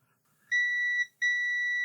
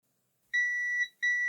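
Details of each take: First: Lloytron Bluetooth AM/FM radio that only runs on mains power, multimeter in continuity mode across a board component: two clear high-pitched beeps, the second held, showing a short. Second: Lloytron AM/FM radio that only ran on mains power, discoloured, possibly arcing switch contacts cleaned with a grinding pen and isopropyl alcohol, then tested: two clean high multimeter continuity beeps, contacts closing properly.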